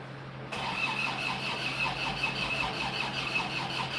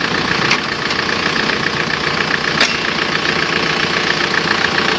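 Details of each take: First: Isuzu Panther diesel after an engine rebuild with liners flipped, first start: slow, even starter churn of about three pulses a second with a thin whine and no firing; fuel lines empty and compression not yet full, so a charger is added. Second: Isuzu Panther diesel after engine overhaul for white smoke, reused liners: settles into even steady idle, no knocks or misses, clean regular beat; sounds healthy, exhaust smoke seems cleaner.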